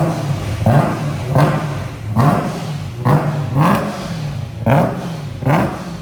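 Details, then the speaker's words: Supercharged BMW E90 M3 rebuilt after an April 2023 engine failure, with a new custom titanium exhaust: sharp revs climbing cleanly about once a second and dropping back to a deep, even idle, no knocks or rattles; normal revving. "this car sounds crazy one of the loudest cars I have right now"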